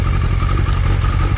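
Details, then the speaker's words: 2003 Suzuki Hayabusa with loud Yoshimura exhaust idling with a deep, steady burble after the clutch fix (top friction plate centred, OEM slipper clutch): the earlier clutch clank at idle is gone, normal idle. "that clutch Clank was annoying I mean you can even with the exhaust that idle you can hear it going Clank and Clank so it's gone now"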